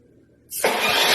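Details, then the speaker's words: Lawn mower started via Arduino-controlled handmade relay powering starting motor: half-second silence, then engine catches at once and settles into loud even run; starts cleanly. "now if I send b it should turn on"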